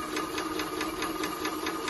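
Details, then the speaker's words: Maxitrak 5-inch Alice steam locomotive feed pump run on air with boiler blown down; even clicking about five a second over steady hum, note changing as bypass opens or closes; normal pump operation. "you can hear a slight note change when you open the bypass or close it that's actually the pump pumping now"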